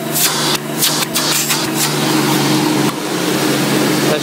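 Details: 1990 Electrolux 616 Electronic (Z616AE) vacuum cleaner, bought used and cleaned, edge-cleaning: steady mid-pitched motor hum holding level under bumps and handling; motor runs really good, normal running.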